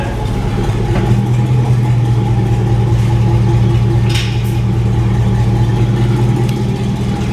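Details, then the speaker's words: 1999 Chevrolet Silverado V8, old Cherry Bomb muffler removed: loud, deep, booming idle with a light throttle blip; loud open exhaust. "It's probably going to be somewhat loud, but we're about to find out."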